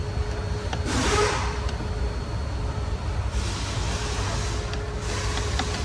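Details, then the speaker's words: Car HVAC air-flap servo motor after replacement and lubrication, testing all modes for synchronisation and calibration: steady low cabin hum with airflow shifting between vents and no clicking from behind the dash; operation is normal. "In this step, we check the operation of the air conditioning servo motor and test all modes to ensure that the servo motor is properly synchronized and calibrated."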